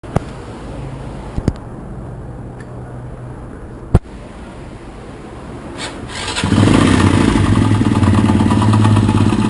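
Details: Single-cylinder motorcycle (possibly a 135, per garbled speech) engine: after a few clicks it fires up and idles with a rough, rumbling knock from a worn crankshaft bearing.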